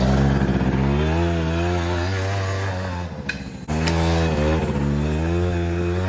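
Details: 2006 Suzuki Quadsport LT80 two-stroke, formerly seized and stored for years, after carburetor cleaning and tuning returned to stock with airbox fitted: buzzes cleanly, revs dip briefly and recover; runs smoothly and responds well.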